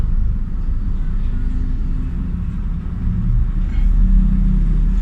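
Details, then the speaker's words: Hyundai Getz 12-valve petrol engine, warm, idling steadily but with RPM too high as the AC load comes on; complaint of high, fluctuating idle, hard starting and black smoke; intake manifold, throttle body or injectors suspected. "taas ang RPM niya pero mainit na yan"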